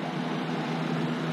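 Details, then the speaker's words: PTAC unit after replacing a fan that had a small crack, restarted with relay click and reversing valve switching: steady even hum, smooth airflow, no rattle or wobble; normal running. "Listen to that thing hum. Listen to that reversing valve reverse."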